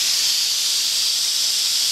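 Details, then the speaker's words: Boiler safety valve on steam, still being adjusted, popped at 120 but stayed open down to 80: steady loud high-pitched hiss without reseating; excessive blowdown, valve staying open far below popping pressure. "now it's really popping off now I got to I'm still adjusting it now I popped off 120 now it's 80 so that's way off but we'll get"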